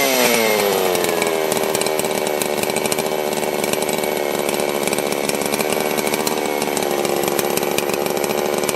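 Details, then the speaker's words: Holzforma G660 Pro chainsaw after a timing advance: screams at high revs, then pops and crackles as revs drop off throttle during deceleration. "you hear how it's kind of popping and crack crackling as it's coming back down"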